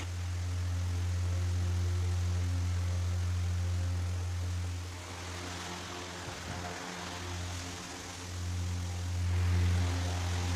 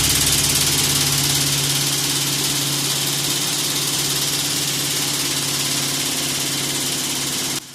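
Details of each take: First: Pedestal fan after blade balance and angle setting to cure vibration: steady low even hum with no wobble, knock or rattle, brief handling disturbance midway; runs smoothly, normal running. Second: Pedestal fan at high speed, before repair: loud shaking rattle with a fast uneven beat over the motor hum, as if about to break apart; runs better at slow speed. Blades are out of balance with unequal pitch.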